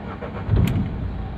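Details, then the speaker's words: Renault Duster 110 diesel after replacing the sticking diesel injection pump relay and its fuse: short crank, then it catches cleanly and settles into a steady even idle; normal start after repair. "गाड़ी को start करके check करते हैं गाड़ी में कोई दिक्कत नहीं ए रहा है"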